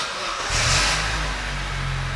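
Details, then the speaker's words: Vauxhall Corsa 1.2, which cut out while driving with crank position sensor faults, after crank sensor replacement: brief crank, catches at once and settles to a steady idle with a small rev; normal start. "came straight to life"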